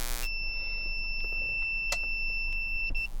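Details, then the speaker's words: 2000 W inverter on a truck battery, engine off: continuous high-pitched beep of about three seconds as it tries to power a load; low-voltage alarm, not enough power until the truck is started. "so it should turn on nope not enough power"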